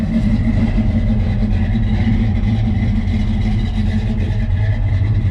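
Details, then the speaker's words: 1970 Chevrolet C10 pickup V8, heard from outside by the exhaust, with the tip angled out to the side: deep, even idle rumble with slight cam lope, no knocks or ticks; healthy idle. "we'll let you just walk out here at idle sounds pretty good"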